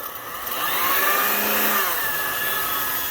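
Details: Lyman power feed, brushed DC motor with potentiometer speed control, on a Bridgeport milling machine: smooth motor whine climbs in pitch as speed is turned up, then holds even; running normally.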